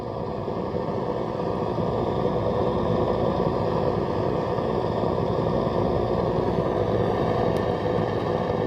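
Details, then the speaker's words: Radio on long wave while testing a home-built strip-board power supply: steady low rumble with faint hum under the hiss; interference source unclear. "okay let's try this on long way then so you can hear that low level rumble can't you"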